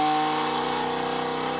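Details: Home cream separator (écrémeuse) spinning up after reassembly, before milk is poured in: steady high-pitched whine with an even hum underneath, no rubbing, scraping or knocking; normal run.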